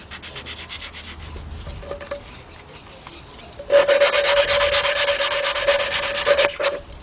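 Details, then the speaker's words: 2003 Jeep Liberty Sport 3.7 partial engine rebuild, cylinder head valve lapping with an old lapping tool: gritty back-and-forth scratching, then harsher squeaky grinding; valve not yet seated, grinding fades to smooth once seated. "When you get When you hear that thing gets kind of like you won't hear it grinding no more. It will sound It will feel It will sound kind of smooth."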